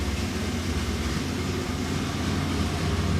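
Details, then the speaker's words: Dually pace truck after swapping back to the older gasket and reconnecting injectors: deep, steady, even engine drone, no misses or surges; fuel spray more consistent, issue considered solved, idle air control still to set. "sounds good oh yeah that that fuel spray is definitely a lot more consistent"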